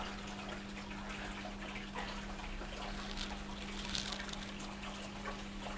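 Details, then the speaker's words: Hotpoint NSWM 1043C W UK N 10kg inverter-motor washing machine on a test wash, owner suspecting a paddle issue: steady low pump hum holding one pitch under gurgling water flow; draining normally before spin. "there's the pump we should go for a spin then after this draining out just fine"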